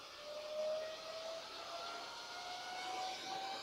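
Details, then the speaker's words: Old desktop PC from a free pile, case open on power-up: steady high airy whine creeping slightly higher in pitch, fan running at full speed, no settling; machine needs work. "Well, it powered straight on. We're getting full fan."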